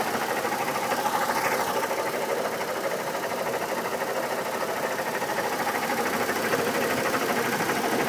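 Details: 2002 Chevy Trailblazer: steady idle with a fast, fairly even light tick about three per second; owner thinks it comes from the fan area, fan clutch replaced two years ago, oil pressure checked, codes P0105 and P0420.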